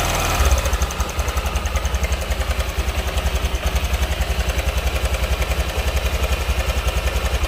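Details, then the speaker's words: Honda Vario scooter at idle, uneven with a rough rattly patter about three to four pulses a second; worn cam chain tensioner (tonjokan keteng) letting the chain slap, to be replaced. "Oke dan ini dia yang akan kita ganti ini adalah tonjokan keteng atau Tensioner"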